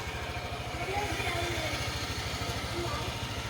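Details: Honda Vario 150 scooter with a drained battery: low, quick, steady idle thrum with even pulses and no stumbling or rattles; runs healthily, with charging reading normal.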